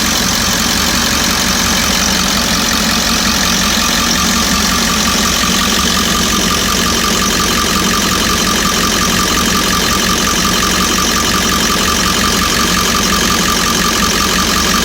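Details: 1998.5 Ford E350 7.3 diesel at warm-up idle, with recent fuel tank delamination trouble: steady clatter broken by occasional faint pop or knock that appears as the engine warms; cause suspected, not confirmed.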